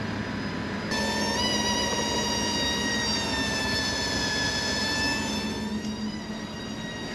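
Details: 36-year-old Toyota Land Cruiser 60 Series idling after revival: a steady high whine with a ringing overtone holds its pitch above the idle, from a loud fuel pump.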